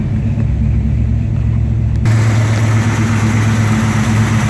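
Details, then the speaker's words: 1973 Dodge Dart 6 pack V8 idling warm at about 192 degrees; even, steady low rumble with no knocks or misses, sounds good. "running at about 192 with the water pump. We'll let it run a few more minutes. Sounds good."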